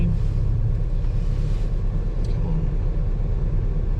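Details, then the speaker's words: Renault Clio Sport 172 warming up at idle: a low, buzzy drone with faint uneven rattling from the exhaust vibrating. The rear exhaust mount is suspected, not confirmed. "That noise we've got going on there. Just a bit of a vibration in the exhaust. You need the exhaust mount there at the back, famous exhaust mount at the very rear."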